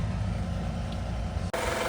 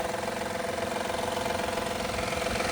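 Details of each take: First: 2016 Honda Accord EX-L 3.5 V6 idling after catalytic converter replacement: steady deep idle hum, no exhaust leak; long-standing V6 rattle present. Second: 2016 Honda Accord EX-L 3.5 V6 at idle after catalytic converter and oxygen sensor replacement: fast, light ticking rattle about three per second, long-present; no exhaust leak heard; cause uncertain.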